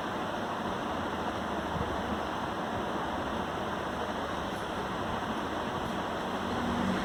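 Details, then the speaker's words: Desktop PC with 7th-gen i5 and 16 GB RAM running Windows 7, which hangs, just started: steady loud rushing hiss from inside the tower, likely fan or cooling noise; loud internal noise, cause unclear. "अभी पता नहीं कैमरे में आपको आवाज़ आ रही है नहीं आ रही है, लेकिन मुझे लाइव चला रहा हूँ तो इसके अंदर से एक आवाज़ आ रही है। काफ़ी ज़्यादा साउंड कर रहा है, नॉइज़ी है ये।"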